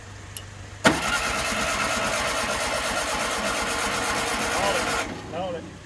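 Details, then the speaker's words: 1967 VW Beetle after sitting 34 years, battery charged from a truck, no starting fluid, fuel probably in the carburetor bowl: bursts into life, runs ragged about four seconds, then cuts out; firing order suspected. "why is it hit and and stop all right so we're going to check for the firing order here and see if we're off that's kind of what it acts like the occasional firing"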